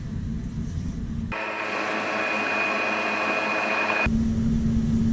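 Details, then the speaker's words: Grinder pump in basement pit, float unplugged and pump plugged straight into the wall; its tone changes from a low rumbling drone to a thinner, higher pitch as it stops pumping fluid and draws air, running dry. "Okay, the tone of the pump has changed. That means it's no longer pumping fluid, it's drawing air in."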